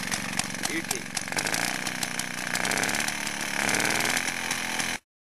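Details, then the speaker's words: Restored Villiers Mk8C two-stroke motorcycle engine on 16:1 petrol-oil mix, throttle propped open, freshly repaired carburettor: crisp, rapid two-stroke crackle with a buzzy exhaust, holding steady at a fast throttle; running strongly and evenly, normal running. "I'll film it runs quite well actually"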